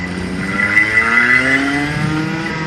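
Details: Clutched go-kart engine on-track run-in between 6,000 and 10,000 RPM: clean note sweeping up and down through straights, no misfire or knock; healthy.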